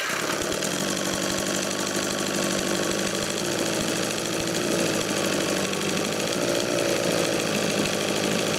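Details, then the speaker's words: 1972 Johnson 6 hp Seahorse outboard (6R-72D), first start in 20 years after fresh plugs and fresh gas; fast, even two-stroke buzz with no misses or knocks: normal running. "well there you go fresh plugs that fresh gas and she'll fire off every time"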